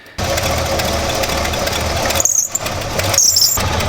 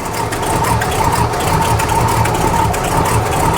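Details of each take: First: Squarebody dually with 454 big-block at startup, after a belt upgrade for a big aftermarket alternator powering electric fans (a previous shredded belt caused overheating): two short high-pitched squeals over the idle, belt still slipping before being retightened. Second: Squarebody truck's 454 big-block V8, cold, just restarted after belt upgrade for a big aftermarket alternator running electric fans; deep, smooth even idle, oil pressure up at once, belts running true with no squeal, normal idle.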